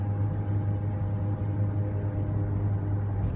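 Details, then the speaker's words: Mercury Mountaineer driving around 55 mph: steady low hum with thin constant whine and rumble over road noise, fading as it slows; rear differential whine, bearing suspected, worsening over months, salvage differential to be fitted. "Anyways, rolling up here on where I need to be, and I'm gonna go ahead and hop off here and just, you know, wanted you guys to hear that disgusting, whiny, grindy, bearing-induced noise."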